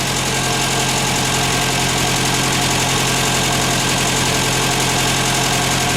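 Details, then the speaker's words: Ford Fiesta MK1 idling after replacing alternator bearings that caused a chirp: steady even idle, smooth low hum, no squeal from alternator; bearing problem solved, normal idle. "Como ya he dicho antes, no se oye ningún chillido que venga del alternador, por lo tanto el problema de los rodamientos le tenemos solucionado."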